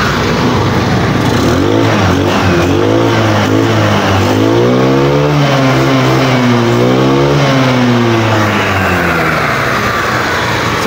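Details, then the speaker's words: GY6 150cc Microbike EXO150 after 24mm Keihin carb install, open carb with no air filter, no choke: revs up and down repeatedly with crisp pickup and no bogging; runs well. "So yun kaboss amo, maganda rin yung response ng kanyang throttle."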